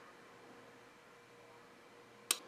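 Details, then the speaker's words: Black and Decker BCFA27 mini fridge not cooling, plugged in via Kill A Watt: faint steady hum as the stalled compressor draws 5.6 amps, then a sharp click as the thermal cutout opens, dropping to zero amps; compressor not starting, suspected failed start thermistor. "then we hear the thermal cutout open up and we go back down to zero amps so the compressor is definitely not starting"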